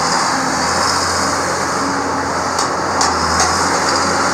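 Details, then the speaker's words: 4960 tractor just reassembled, driven on the road and warmed up: steady diesel drone with no knocking or rattling; the engine sounds normal. "I think she sounds normal it's got my swinging dangle berry there on the front sweet-looking tractor"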